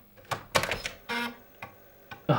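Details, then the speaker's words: Commodore Amiga 500 floppy drive loading a disk: irregular bursts of clicks and buzzy clunks as the head steps and the motor spins. This is ordinary floppy seek noise, nothing wrong. "listen to that disc drive just listen to that noise just listen to the noise while I'm waiting for a disc oh what a horrid noise"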